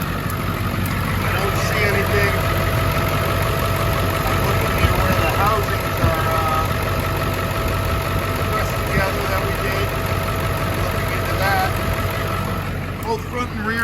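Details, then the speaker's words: Ford 7.3 Powerstroke diesel after oil cooler gasket and O-ring replacement, new lower radiator hose and water outlet O-ring, refilled and bleeding coolant: steady diesel clatter at even idle, no stumbles or odd knocks; normal idle. "I'm going to fire it up so I can bleed out the coolant and also top it off and check for leaks. At this point, we're up and running, and I'm going down, looking, checking the cooler there."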